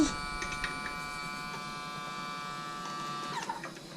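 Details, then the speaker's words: Exmark Turf Tracer with EFI Kohler ECV650 twin-cylinder engine, new fuel pump just fitted after the old one sprayed fuel everywhere: quiet, steady high electric hum for a few seconds at key-on, no stutter or rattle; fuel pump priming normally, pressure not yet checked. "sounds like it works i guess i should probably check if it's got pressure how do i do that"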